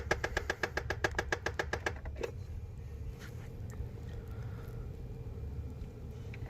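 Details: Nissan Frontier making noise when the key is turned, traced to an HVAC air door: sharp even clicks about four per second for two seconds, still occurring after a temporary fix; blend door actuator clicking, motor replacement considered the proper repair.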